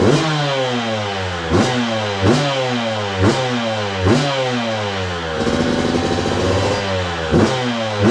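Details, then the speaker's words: 2002 Yamaha YZ125 two-stroke dirt bike after cleaning the carburetor and fitting new hoses, with the choke left on longer to run rich during break-in: crisp crackle revving up and down cleanly, no knocking or clattering from the crank; normal running. "Yep. She runs good. Let's go. Well, there you go, guys. Running really good too."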